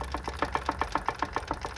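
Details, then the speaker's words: 2006 Mitsubishi Lancer Ralliart after a new clutch, pressure plate and ABS sensors: quick, even knock about seven or eight a second over a low engine drone; gear trouble inside the gearbox is suspected, and the transmission is to be replaced with a used one. "so here if you listen i'm not sure if you can hear you can hear that knocking sound"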